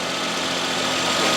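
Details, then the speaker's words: Toyota Cresta GX100, about 25 years old, just after alternator replacement and a jump start: steady, even quiet idle hum, no knocks, squeal or belt chirp; belt straight. "it's so quiet very quiet the belt is straight everything looks good"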